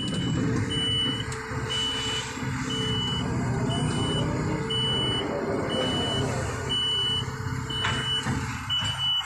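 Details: Kobelco SK200-8 excavator with error P0118 (insufficient engine power, a slight power loss): the diesel runs while a high warning beep repeats about once a second; the error tends to appear once the engine is started and operated.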